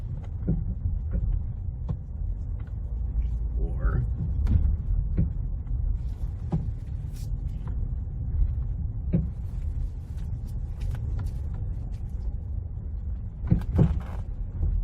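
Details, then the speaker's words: Ford with power steering, driving at low speed: loud clunky metal-on-metal noise up front, heard mostly on the passenger side when turning into a parking spot; rack replacement was quoted, but the cause was a loose stabilizer bar end link. "so it's that kind of noise where it's a loud clunky noise up front sounds like metal on metal"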